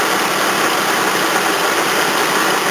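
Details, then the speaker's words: 1981 Toyota Corona RT132R with 18R-C engine, hot after a drive, idling: steady rough whirring hiss from a badly worn water pump plus a couple of squealing belts; chain quiet when hot. "That's all I can hear, water pump and a couple of belts squealing. Oh, that water pump sounds bad."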